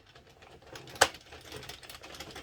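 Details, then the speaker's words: Addi/Sentro circle knitting machine after tension corrected, crank turning with little effort; quiet even needle clatter with one sharp click as the counter resets: normal smooth cranking. "It should not be a huge effort. So if you find yourself cranking, slow down, take a look at it, adjust what you're doing. But now it's all together. Tension is sorted out."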